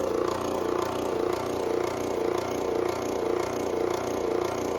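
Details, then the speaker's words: The owner's older airbrush compressor, not the new Gaahleri, running under a card table in a hobby room: a steady buzzing hum with an even pulse about twice a second and no knocks or rattles. It is running normally, with a sound judged not too bad. "So let me get this first, turn on the one that I've been using. Not too bad, not too bad."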